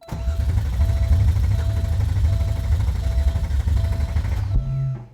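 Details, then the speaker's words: Porsche 964 engine with new cams, first start attempt with a quarter tank of fuel: the starter spins the engine steadily for about four seconds without firing. The cause was later found: the distributor had been installed 180 degrees out. "I stabbed the distributor 180 out so it was just one of those things where you're working so hard working so fast and just slight oversight"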